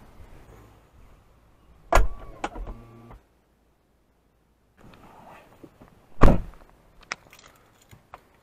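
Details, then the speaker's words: Infiniti FX35 rear liftgate after the open-indicator fix and unhooking the battery to reset the computer. A sharp thump, then about a second of motor whir as the soft-close cinch pulls the hatch all the way in tight, as it should. "and now if you notice when I shut it it pulls all the way in tight like it's supposed to"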